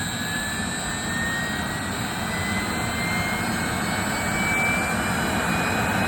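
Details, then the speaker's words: 3-phase 7.5 HP (5.5 kW) regenerative ring blower used as a CNC table vacuum pump, run on a 10 HP VFD set to free-spin to a stop, after debris was cleaned out: steady even roar, high tone rising on spin-up, no rubbing; noise now acceptable. "oh actually that sounds a lot better now yeah I think we're good that is acceptable"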